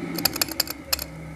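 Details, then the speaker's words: Vintage Westinghouse machine tool motor with tired-sounding bearings, switched off: its potential start relay kicks back in and cycles, giving about seven quick crisp clicks within a second, then quiet; normal behaviour for this setup. "Now, because this is a potential relay, it's going to kick back in when I turn the power off and cycle a few times, so you'll hear some clicking."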